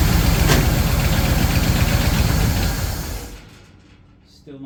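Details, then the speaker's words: 1936 Ford 1½-ton truck, 8BA flathead V8 converted to 12 V with Pertronix ignition, cranking after years of sitting: starter cranks evenly about four turns a second for three seconds without firing; mechanical pump not delivering fuel, no start. "fuel okay I think I'll rig up a electric fuel pump real quick I think this mechanical will work again um but it's not working at the moment"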